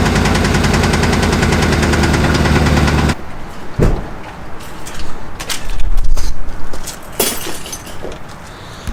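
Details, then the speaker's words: Truck knocking heavily on arrival, running without a miss and with perfect oil pressure: fast fairly even knocking about three a second over a low idle; seems to come from one side, first suspected a lifter, valve cover to be removed. "Alright, so by sounds like it's coming from right about here, I'm going to assume. I'm going to see about taking this valve cover off and see what we're getting into."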